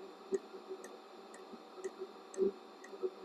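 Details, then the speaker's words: Modified diesel heater on setting one burning hot oil (about 90°C hotter than diesel), burn chamber reading 820–1000°C, plastic end piece removed. Soft steady fuel-pump tick twice a second over faint fan hum: it runs nicely and evenly. "on very hot oil you can hear it's making a nice noise"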